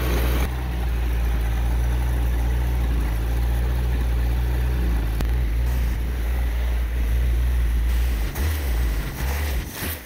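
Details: 1987 Toyota 2WD pickup with a 22R engine that won't idle, held at a low idle almost dying while spraying Simple Green to hunt for vacuum leaks. A low, uneven thump that wavers as if about to stall; no leaks were found.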